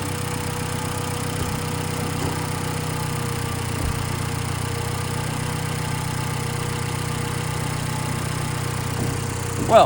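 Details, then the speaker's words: Nissan Juke 1.2 DIG-T turbo petrol, first start after timing chain kit replacement: steady, smooth idle with no rattle, tick or lumpiness, heard live; took a bit of starting, runs healthy. "took a bit of starting, but she sounds beautiful now. Not rattly, not lumpy, nothing. Smooth as anything."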